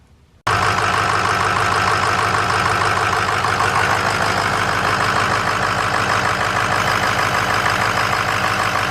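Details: 2006 6.0 Power Stroke diesel after an alternator replacement: it fires up and settles straight into a steady, even clatter with no miss or odd tone, a healthy normal idle.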